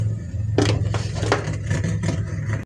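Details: CSBO amplifier after repairing burnt resistors in the mic lines, powered on and tested: steady low hum with clicks and rustles; mic channel still noisy, cause not yet found.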